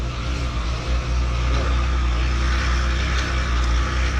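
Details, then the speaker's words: 2016 Triumph Tiger 1200 Explorer, 5,000 km, at idle: constant gritty mechanical whir over the engine note, like a gear or blown bearing, in for clutch basket (campana) service. Alternator gear or bearing noise. "que tem um barulho diferente aí um barulho de como se fosse alguma engrenagem um rolamento estourado"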